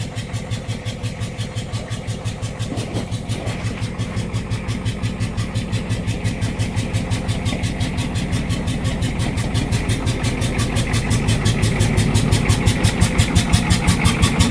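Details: Ford 6.9 IDI diesel truck idling with heavy, lumpy clatter pulsing steadily, growing slightly louder; rough idle, suspected head gasket, unconfirmed.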